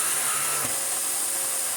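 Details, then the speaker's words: Restored Electrolux D820M (Lux 1 Royal) vacuum, small electric turbo brush head tested for the first time: a harsh hissy rush with a rough rubbing edge over the motor; the worn head sounds terrible but works. "Oh, wow! I can't move that. I mean, it sounds terrible, but it works."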